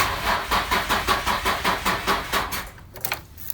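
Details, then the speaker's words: Vaydor build that ran fine before the dash was removed and many wires were disconnected; no OBD2 codes. Slow, labored cranking at about two and a half turns per second never catches, and it still won't start on a jump pack: slow crank, no start; the owner suspects an unplugged connector. "it cranks but it will won't run I thought it might be the battery because as you can hear it was cranking pretty slowly but I have a battery jumper thing that I hooked up to it and it cranks fast like it should but no start"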